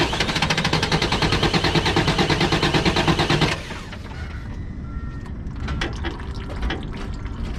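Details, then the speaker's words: Freightliner M2 truck diesel cranking rhythmically about three turns a second without firing after power steering work; fuel system was not primed, so it cranks hard with no start. "We forgot to prime the fuel system. Hard pump."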